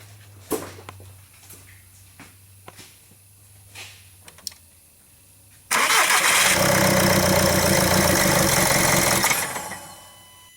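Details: 2009 VW Jetta TDI, CBEA common-rail diesel, no codes, not immobilizer: clicks, then engine catches and runs hard about four seconds before dying; starts-then-stalls, test run with air filter removed; clogged intercooler or icing suspected, not confirmed.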